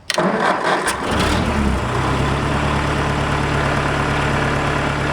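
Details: Barn-find 1955 Ford 800 tractor, sat many years, revived with new points, condenser and coil: about a second of cranking, then it catches and settles into a steady, even idle; starts and runs.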